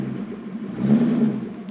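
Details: Porsche 928S reversing cold, after 4 hours off and 1 minute of idling: a whirring drone swells and fades like a chain lift, absent when warm, present for 3 months. Transmission whine in reverse; later judged to need a transmission rebuild or replacement.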